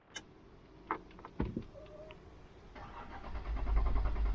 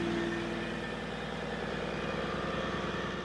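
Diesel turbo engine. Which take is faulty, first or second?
second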